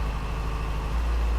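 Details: 2007 Yamaha FZ6 inline-four at idle after swapping the ITB rack and injectors: the idle stumbles with an uneven beat and sagging revs, still misfiring. The fault is attributed to failing ignition coils, which were replaced next.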